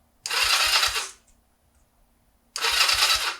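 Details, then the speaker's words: 2005 Honda Rebel 250, thought to be unrun for about ten years, with new battery and plugs and cleaned carb: two bursts of even starter cranking with soft thumps and no firing; no spark because the kill switch is on. "we do not have spark oh kill switch is on"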